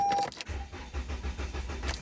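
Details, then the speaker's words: Toyota Camry with no communication and codes U0101, P0613, B2799, P0606: starter spins the engine evenly for over a second with no RPM signal, and it never fires. Fuel pump running hard and indicator lights on; cranks but won't start, cause unconfirmed. "when I go to start it it just does nothing no RPM signal or anything but it'll crank but it won't"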